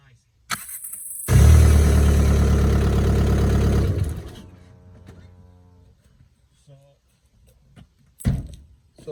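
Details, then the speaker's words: Mk4 starter test after removing the starter for a whining noise after every start: the starter spins the engine briskly, about three turns a second, with no whine, sounding healthy; the whine was a dry starter needing grease. "I can hear I can already already taught her uh spins pretty good check it out very nice"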